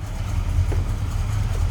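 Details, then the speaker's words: 1967 Dodge Coronet R/T 440 V8, automatic, warmed up a little, idling: deep, steady rumble with even lope, no knocks or ticks; healthy idle. "Listen to that 440. Nice deep rumble to it. This car will definitely turn some heads."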